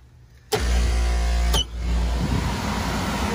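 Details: Three-phase HVAC blower motor after replacing both contactors (missing and broken contact, melted wires; it had been barely turning on two phases): kicks on with a firm hum, then runs even and steady without grinding. Normal run.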